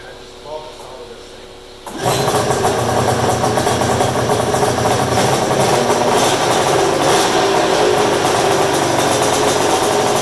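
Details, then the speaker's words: Polaris super mod flatland snowmobile project, started in the shop on mixed gas, which makes it very smoky. A quiet start, then a sudden loud, crackly, ringing two-stroke run holding steady and strong; sounds healthy. "Oh God the smell of 2-stroke in the afternoon that's like Cologne Oh the thing that sounds so good put all that smoke in the air that's the best part about a 2-stroke"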